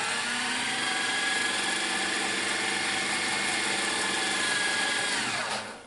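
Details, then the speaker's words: Sony SLV-N700 VHS VCR rewinding a tape: steady high whirring as the tape spools fast, then winds down and stops cleanly; normal, trouble-free rewind. "He does it there we can hear the intensity with which he rewinds the tape"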